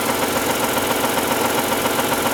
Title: Rd 8 knocking noise